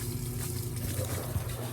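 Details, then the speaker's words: Kenmore Elite QuietPak 9 HE5T washer after drain pump repair (was throwing F21 drain code), running a rinse and spin: low steady drum-spin hum with a soft trickle of water draining normally; drain and spin working. "so far so good she's spinning and i can hear water draining and i can see water draining"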